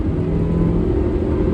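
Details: 2012 Suzuki SX4 AWD CVT road test after repair: smooth, even drive hum with steady low rumble, no clunks, knocks or vibration beat; slight clicking from camera mount; normal driveline operation.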